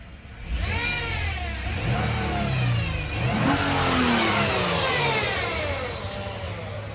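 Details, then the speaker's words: 2011 Nissan Murano AWD, 3.5 engine, automatic CVT, 215,100 miles, revving up and down with a whine that rises and falls with engine speed; the CVT is failing with worn internals while the engine runs fine. "So, you hear that noise? That is the CVT transmission. That is bad. The gears are shot and they don't work. Motor's good."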